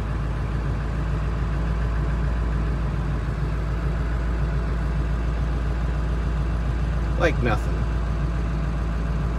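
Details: 2000 Ford F-250 7.3 Powerstroke diesel, first start after seven months in storage with only batteries reconnected: fires right up into a steady even idle with a smooth low rumble; normal idle, no misfire or knock.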